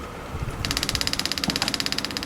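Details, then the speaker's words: Small eBay electric fuel pump priming a stored stationary engine (ex grain-dryer) to bleed air from the fuel: rapid even ticking about twelve clicks a second with light hiss; normal pump operation. "you can hear it pumping away, and I've come this side, I can bleed it up, and there's the fuel coming through."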